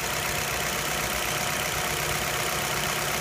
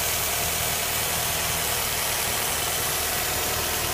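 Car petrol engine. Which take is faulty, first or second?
second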